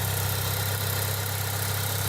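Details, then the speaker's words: 1998 Eclipse GST idling after fitting FIC 650cc injectors and ECUflash base tune, engine not yet at temperature: smooth, even idle with steady low hum, no misses, knocks or surging. Normal idle. "that's good cars idling fun it's not cold right now though we should just wait for the temperature"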